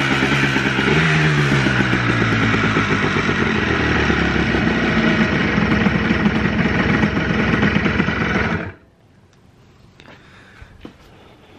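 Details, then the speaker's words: Two-stroke Blaster after the float plunger leak was fixed and a missing throttle jumper was reconnected for the TORS issue. A crisp burble holds a steady idle with light revving, then is switched off. It idles cleanly and evenly. "pretty much i forgot to jump these or maybe it fell off i'm not sure i don't even remember but she's idling"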